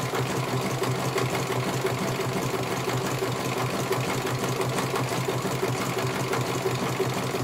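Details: CNY computerized embroidery machine being serviced, whose dynamo motor earlier would not turn: even, steady stitching beat about three strokes per second over a smooth motor; running properly, one colour finished, judged very good.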